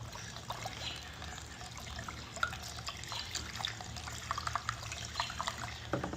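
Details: 2004 Chrysler Crossfire Limited, cowl drains clogged after heavy rain let water into the passenger footwell: after pouring Green Gobbler enzymatic drain cleaner, a faint irregular trickle and scattered drips, not steady flow; drain only partly clear, still slow.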